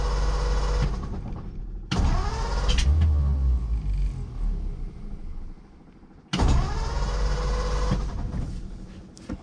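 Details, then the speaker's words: "The 40" that used to start right up, choked; owner fears it is still flooded. Steady starter churning at three to four beats a second with brief catches that never take: cranks but won't start. "I don't know what's going on. This thing used to start right up. I don't want to give it gas because I'm afraid the thing's still flooded, but what the heck?"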